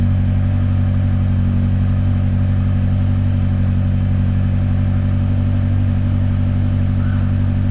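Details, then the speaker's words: BMW X5 M (N63/S63 V8) first cold start just after a Bootmod3 tune flash; loud smooth idle holding a steady low rumble with no ticking or stumbling, seemingly a bit louder with the tune, a normal cold-start idle. "Alright guys, first impressions. Just want to hear the cold start, see how it sounds."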